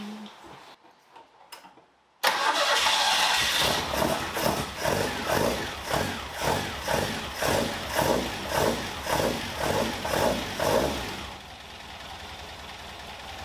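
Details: Caterham Super Seven, test run after tappet clearance set to 0.55 mm: lumpy running with sharp pops about twice a second, still backfiring through the intake; owner suspects carburetor jet size 60 is wrong for the displacement.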